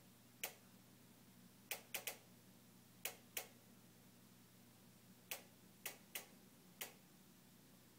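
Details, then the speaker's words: Newly purchased Jenn-Air stove igniter randomly clicking on its own: sharp dry irregular clicks, about ten in eight seconds, in a quiet room; ticked a minute straight, continued after turning off; repairmen visited repeatedly without fixing it. "this is the sound of my jenn-air stove newly purchased which randomly makes a ticking noise"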